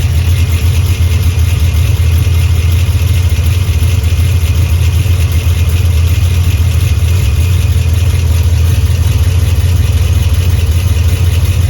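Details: Cammed Pontiac G8 GT V8 with Stainless Works headers and GESI high-flow cats: a loping idle with an uneven chop and a puffy raspiness from an exhaust leak just before the mid muffler.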